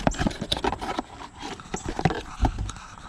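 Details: Dodge Caravan failing HVAC blend door actuator clicking under the dash, irregular hollow clicks and knocks about three a second, before replacement with a new actuator.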